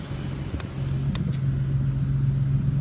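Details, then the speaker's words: 2014 Infiniti QX70, rebuilt title, stolen-recovery with many parts missing, 18,000 miles, automatic engages, AC cold: low, steady idle hum with even pulse, no knocks, ticks or misfires; normal idle, engine sounds good. "And the automatic transmission engages, the AC blows cold, and the motor sounds good. This car only has 18,000 miles."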